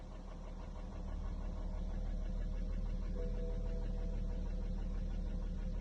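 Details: BMW X3 35d (313 hp) diesel at idle with a steady knock of about three beats a second over the low rumble; cause not identified.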